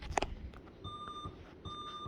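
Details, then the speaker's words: Dell XPS 8910 desktop at startup after adding RGB fans: two steady high beeps repeating; POST warning that the top fan is not detected. "And basically it just says that it can't find your top fan, and as you can probably hear, it's beeping at me."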